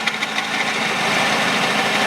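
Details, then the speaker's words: Peugeot 408 2012, 1.6 petrol automatic, 87,000 km, idling, heard at the front belt area: loose irregular tapping; tensioner travel nearly used up, hitting its stop on a stretched drive belt; crankshaft damper also considered. "здесь он уже упирается будь здоров там забит кто стучит демпфер коленвала гонка входит похоже стучит вот этот"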